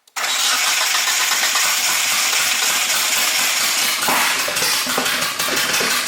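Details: 1G GSX AWD big-turbo build cranked while coil packs are unplugged one at a time. Loud, ragged cranking with uneven firing that never settles into idle; misfiring no-start, and timing is suspected.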